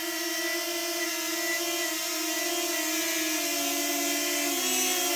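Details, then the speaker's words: Intermittent whistling, sneeze-like sound from the propellers of a DJI Flip drone, Fly More combo, suspected factory issue, cause unknown; heard as a steady high propeller whine with layered tones and a wavering whistle creeping in near the end, clearer when the drone is moved. "huh another one this is snoring this is snoring sneezes like this is the issue that I'm talking about so when I move the Drone I can hear clearly"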